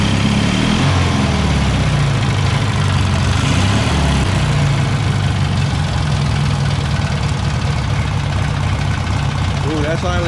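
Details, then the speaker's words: Taurus 650 engine after fixing its too-high idle with a new spring and an idle-tab adjustment: a low, steady, even idle with no hunting or surging; normal idle. "pretty lowdown as perfect that's good well maybe just a wee bit higher barely even move"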